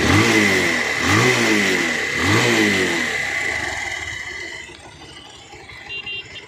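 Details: Bajaj Pulsar 220F, three quick throttle blips with a metallic chattering rattle rising with revs; very bad timing chain noise, likely worn timing chain.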